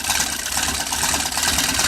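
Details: Sewing machine: fast, even mechanical chatter with bright ticking at constant speed, no grinding or binding; a little old but still works and can sew.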